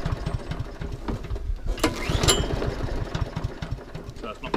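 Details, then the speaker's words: Inhell single-cylinder lawnmower: weak, uneven chuffing, no steady beat, running rough from fuel starvation because the fuel on/off tap was left off; carburetor suspected before tap found. "Oh Kate before going any further there's a fuel on/off switch here and it feel was turned off how very silly of me let's turn that fuel on"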